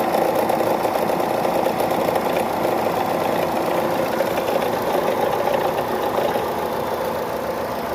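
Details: Chevrolet Cruze/Sonic engine at idle with a steady mechanical ticking at roughly three per second over a smooth idle. The engine noise is unexplained.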